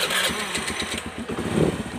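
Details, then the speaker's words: Carbureted Honda Beat scooter, previously seized and smoking white from a late oil change, after repair: short starter whirr, then it catches at once on the first press and settles into a steady, even putter; normal electric start. "Oke, ya. Satu kali starter langsung dia hidup, ya."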